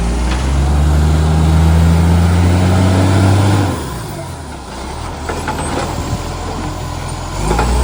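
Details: Ryde green waste truck SL757, a spare truck, pulling hard: loud, rough chuffing pulsing with engine speed, easing as it slows; an exhaust leak.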